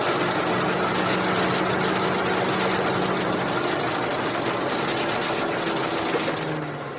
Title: Cruze 1.8 ticking and squeaking noise